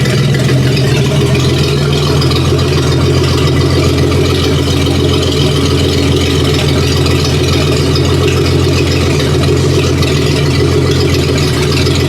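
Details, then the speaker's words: 1956 Dodge 230 flathead six on an engine stand, just fired up with a little throttle: slow, even, steady idle with a smooth low exhaust beat and no knocks or misses; warm idle later about 550 rpm with 50 psi hot oil pressure. "Get a little throttle. Oh, sounds pretty good. Got good oil pressure."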